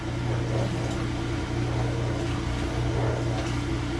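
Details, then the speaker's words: Kenmore/Whirlpool Elite direct-drive washer, model 110.22952102, after replacing the broken motor coupling; steady low electric hum with even water-moving whir, no grinding or rattle. Normal drain pump operation after repair. "I declared it fixed oh that was sudden that stopped all right"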